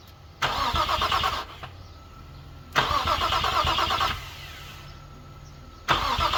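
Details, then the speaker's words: Infiniti G35 after an engine fire, new alternator and starter/power wiring reconnected, first crank test: three bursts of brisk, even cranking and the engine never fires; gas smelled, owner suspects two cylinders have no spark. "Nope, don't see any gas or anything anywhere, but it does try to turn, guys. I'm definitely hype about that."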